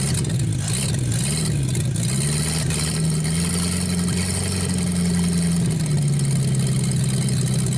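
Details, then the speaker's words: 1949 Buick straight-8, first start in years, with distributor cap and rotor from a 1950 parts car; deep, even rumble with slight speed wander at first, then a steady healthy idle, running really good before running out of gas. "So we'll let the engine cool down. It's running really good though."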